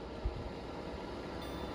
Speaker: so it starts with autom mode and based on what the sensor sensor picks up it ramps up the the fan speed there's the noise so level two level three level